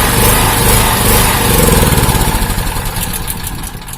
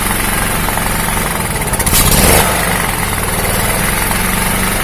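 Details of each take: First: Honda GX160-type engine on a 2000 W generator surging, speed rising and falling in waves; ignition coil suspected as cause of the hunting. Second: Honda GX160-type single-cylinder engine on a 2000 W generator, after repair: steady even idle with no more hunting up and down; the surging was traced to the ignition coil and cured by swapping in a known-good coil.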